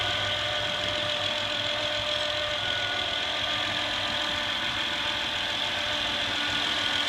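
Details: 2008 Honda Accord EX-L V6 at idle with a steady, constant high-pitched whine that doesn't waver, caused by a bad diode in the alternator.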